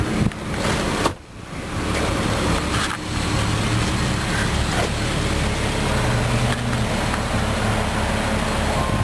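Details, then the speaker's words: 2004 Jeep Grand Cherokee Columbia Edition, running a while to charge a bad battery (later dies): smooth even idle hum with a short early break, light outdoor background, no knocks or whine; "very nice sounding Jeep", normal idle. "Very nice sounding Jeep."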